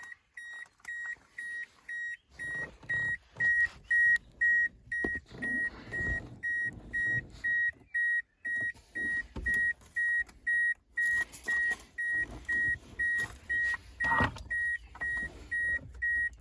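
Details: Toyota Corolla Verso E12 cabin: a steady high-pitched warning beep repeats about twice a second, with rustling and knocks behind it.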